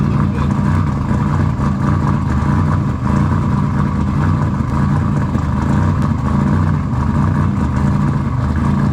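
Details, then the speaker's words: Engine just started after installing RJC V-Band exhaust gaskets: loud, steady, even exhaust drone with no ticking or puffing from the joints; engine runs healthy and sealed, normal. "all right guys as you can tell we got it running she's running can y'all hear it can you hear it is it loud you like that sound okay yeah we like that sound"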